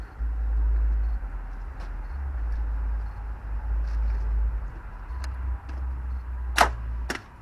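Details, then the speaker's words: 2002 Toyota Camry that stopped on the freeway, on a swapped battery plus jump pack: only sharp single starter clicks, no cranking; oil dipstick bone dry, seized engine suspected. "And when we go to start it, basically all you're hearing is just the starter clicking."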